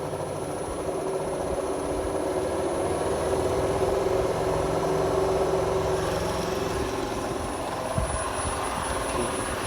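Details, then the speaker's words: Nissan Leaf electric motor fitted to an Oliver tractor, first power-up, held at about 800 rpm, out of gear, 32-degree weather, no radiator: low steady whir with faint constant whine; ordinary transmission and gearbox noise, normal. "how how much noise all the oh transmission and gearboxes make"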